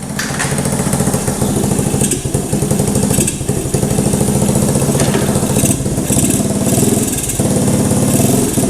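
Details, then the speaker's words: 1985 Honda ATC110 three-wheeler, revived after sitting abandoned, put in first gear; loud chugging engine bogs and dips in pitch every second or two, straining against a seized rear end; carburetor also needs cleaning and an inline fuel filter. "Most certainly needs a carburetor cleaned out. Definitely needs an inline filter for the fuel. And more importantly, the back end is seized up."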